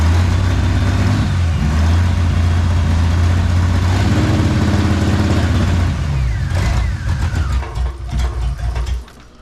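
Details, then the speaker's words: 1997 Mustang freshly rebuilt engine (bent rod replaced), first start: deep, uneven note that spits, sputters and pops when blipped; oil pressure present, lifters quiet; owner wonders if it runs on six cylinders, to diagnose after a heat cycle. "we'll let it warm up do a heat cycle and then we'll diagnose why it's kind of spitting and sputtering"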